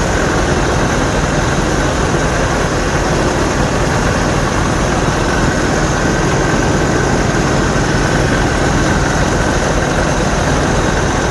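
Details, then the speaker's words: 1986 Ford F150 straight six after a water pump replacement: a steady, even idle with a deep, constant drone and no knocks or misses. The engine runs smooth and healthy. "give me a look again this thing just sounds good"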